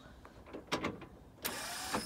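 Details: '65 Chevy C10 with its rebuilt starter held in by one bolt: a few clicks, then a short high whir without the engine turning over. The starter is not fully engaging.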